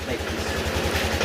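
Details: Yamaha Aerox 155 after an engine overhaul on a cracked engine, with sensors, throttle body and magneto refitted and coolant added: a quiet, even low idle with no tapping, before warm-up. A check-engine light is on and the aftermarket TPS is not yet stable.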